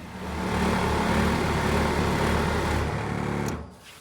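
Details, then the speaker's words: Newly installed SHURflo 2088 RV fresh water pump switched on after replacement: steady, quick buzzing hum at an even rate for about three seconds, then shuts off; water reaches the faucets, pump working normally. "All right, that's it. Got water in the faucets. You are good to go."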